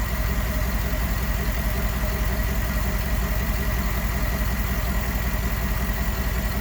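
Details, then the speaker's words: 2011 GMC Sierra 5.3L V8 after an oil pressure sensor replacement that fixed a dead gauge and the check engine light: a smooth, even idle with a steady low burble, the earlier slight tick and lope now gone. "But just listen to this. I mean, seriously, listen to how smooth."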